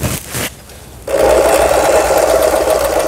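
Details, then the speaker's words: Lion-sold Janome LR1600 sewing machine after repair of a misaligned pattern-selector upper-shaft gear and loose pulley screw, test-sewing with bottom cover not yet fitted: fast steady needle chatter about three strokes a second with loose buzzing rattle from the unfitted cover. "여기 이제 흔들리면 이 밑에 커버를 지금 조립을 안 해서 그래요. 일단은 바느질을 해보고, 바느질이 소리가 잘 됐다 할 때 조립을 하는 거예요."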